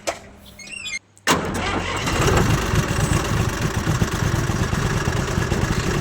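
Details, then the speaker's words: Tractor diesel just after fuel injection pump fitting, with injector pipes air-cleared and bled: brief crank, then it catches on the first try and settles into a steady, even idle with no misses; good pulling power. "One time തന്നെ first round തന്നെ start okay ഇപ്പോ നല്ല pulling നല്ല power ഉണ്ട്"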